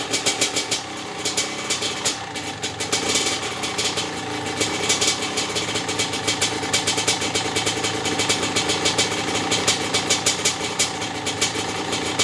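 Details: Maico 660 two-stroke after new reeds, reed intake and jets: crisp crackly idle with quick even popping and bright steady exhaust note; started and restarted easily, idle needed adjusting; running properly.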